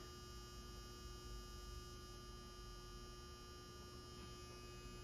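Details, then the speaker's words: Galaxian arcade cabinet during restoration, at power-on: constant low electrical hum with steady higher buzz tones, heard since first switch-on, with a spark seen and the monitor apparently unpowered; cause unclear. "I don't know what the spark was that hum is that from down there it was doing that when I first turned this thing on"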